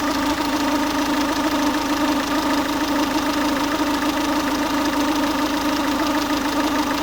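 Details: Ford Focus 1.6 TDCi diesel at warm idle: steady droning hum with irregular clatter about once a second, noise only when the engine is warm; cause unknown, owner asking for opinions.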